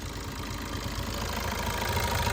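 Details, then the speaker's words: 2015/16 Suzuki Ertiga VDI diesel at idle: steady, even clatter with no ticking, knocking or timing chain rattle; normal diesel idle. "ఇది engine sound actually noise గనుక tickling గనుక ఏం లేదు guys timing chain sound అనేటిది like ఏదైనా engine sound అనేటిది ఏం లేదు"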